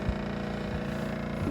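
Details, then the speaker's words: RV water pump during winterizing, switched on inside the camper to draw antifreeze from the tank into lines still full of air: steady low buzzing hum, running continuously; normal. "And our water pump switch is right here. And so now you hear that the water pump is kicked on."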